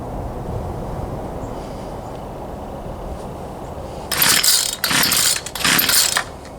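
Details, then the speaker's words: Poulan Pro 222 38cc chainsaw that won't start: a few harsh pull-start bursts that cough but never catch; suspected carburetor fuel delivery issue, later traced to incorrectly plumbed fuel lines. "I believe we still have a carburetor field delivery [Music] issue try it one more time and I'm pretty sure we're going to have to go back in there figure out this carburetor issue"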